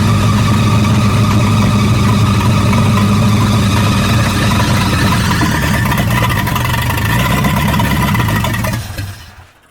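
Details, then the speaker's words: 1937 Buick Roadmaster straight-eight, newly acquired project with wiring issues: it holds a steady fast roar with no drop back to idle, then dies out. The throttle is stuck open because the gas pedal linkage is loose and dragging. "Well, I didn't let the hood down. Throttle stuck. The throttle's on."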